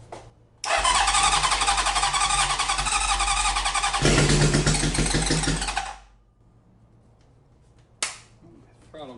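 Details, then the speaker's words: Honda CB750 four-cylinder left sitting, on a spare ignition coil with carbs not yet cleaned: starter whirr, then it catches and runs a few seconds with a crisp, even exhaust beat before dying; sounds healthy. "stuck on something that sounds pretty healthy too i mean as much as you can tell for one second of running sweet"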